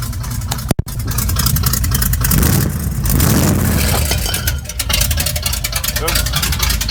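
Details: Quick listen test of a V8 truck with race bullet mufflers; deep burble swinging up cleanly on quick blips and settling back without stumbling; normal idle and revs, healthy engine.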